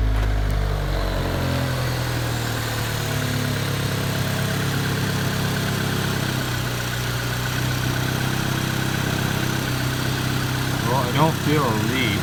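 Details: EJ1 after a brake booster vacuum leak repair (the leak was felt under the master cylinder): a steady, even low idle with no hiss when the brake is pressed. Vacuum is holding, though the fix is not yet confirmed over an extended drive.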